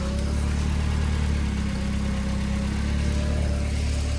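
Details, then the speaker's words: Nissan 240SX drift car, KA24DET engine, after oil change, oil pressure good: steady, even low idle with a constant faint whine on top, no knocks or misses; engine running healthy. "But she's running good, sounds good, oil pressure's good, so we should be hot and bothered and ready to roll, motherfucker."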